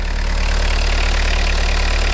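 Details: Peugeot/Citroën 1.9D diesel (Berlingo/Partner) just started cold after glow plug replacement; steady, even idle with a smooth low drone and no misses or knocks; normal idle.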